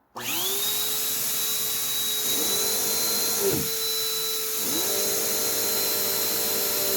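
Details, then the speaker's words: Lightweight, high-pitched vacuum: motor whine runs steady while the brush-roll pitch sags and drops out twice as the brush stops; the belt stretched out while the machine sat, slipping with no burning smell; a new belt should fix it. "okay so it appears that in the time that this is set that belt has completely stretched out because that just completely stopped so yeah and you can tell it's stretched because it stopped yet there's no burning smell because it just it's just slipping"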